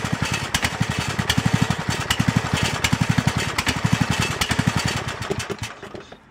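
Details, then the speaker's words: 2006 Honda Element video bonus: Cub Cadet LT1018 single-cylinder mower engine after carburetor replacement, choke on, fuel on; steady even idle, no misses, settles smoothly, idling far better than before; normal idle. "Well, it idles down a whole lot better than it did before, and it doesn't sound bad."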